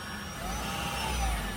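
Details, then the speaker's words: 2017 Ford C-Max hybrid after HF35 transmission replacement, running after test drive: faint steady hum and light whine with nothing rough or grinding; normal new transmission noise. "hear it a little bit, but that's the normal noise. Now this is the new transmission in here."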